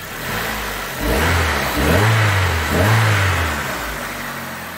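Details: 2008 Hyundai Accent petrol engine revving up smoothly in a few even pulls, with no stumble or misfire. This is after replacing a split intake manifold gasket that had caused a lean cylinder 2 misfire (P0302) at idle.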